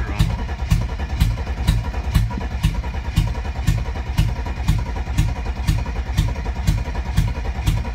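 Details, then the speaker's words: 1992 Mercedes 300TE with no cat or muffler, cranking with no throttle: even cranking about two beats a second, weak uneven puffs never catching; owner suspects inconsistent spark or only some injectors delivering fuel, unconfirmed; crank no-start. "so you see it sounds like it's got inconsistent spark to me it could be that maybe it's only getting fuel out of some of the injectors"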